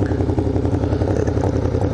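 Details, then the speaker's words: V-twin motorcycle at idle: lumpy, uneven rhythm with sharp pops from one pipe, which spits while the other sounds normal, also felt by the rider; backfiring, suspected misfire, cause unconfirmed. "Jeez, that sounds like shit. I don't know if you can hear it backfiring. Well, it's like... I don't know, is that misfiring?"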